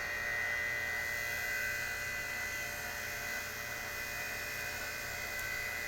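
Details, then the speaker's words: HVAC system on R22 running after replacing the TXV with an R410A TXV and evacuating: steady drone with a shrill whine on top, ragged and uneven at restart; running rough, cause unclear. "I'm going to let it run for a minute or two too see what it looks like sounds like crap"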